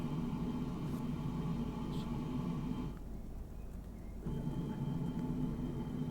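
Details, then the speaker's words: Electric vehicle cabin: steady ventilation hiss with a thin constant high whistle, heard unmasked, then compared with an added masking sound layer that hides the whistle. "Voilà. Donc là, on entend le sifflement assez nettement."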